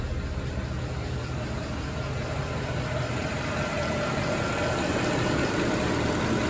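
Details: Mercedes ML63 AMG, M156 V8 (~500 hp), just after topping up oil: steady, even idle, smooth low rumble, no top-end ticking; earlier lifter noise attributed to low oil and gone immediately.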